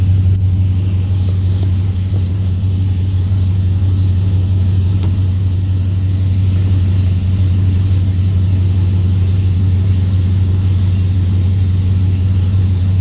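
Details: 2003 Chevrolet Silverado (GMT800, short bed) after Speed Engineering headers and full exhaust install, with extra clearance made and transmission pan tab bent to stop rattles: deep, even V8 rumble with strong low drone, no rattles or ticks. Normal exhaust note.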